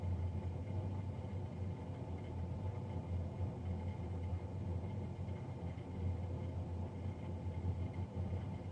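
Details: Navien NCB-240 boiler recorded three days after a Jan 31, 2020 service: constant low droning roar, no pulsing or pitch change, much louder than a boiler fan should run; loud fan noise.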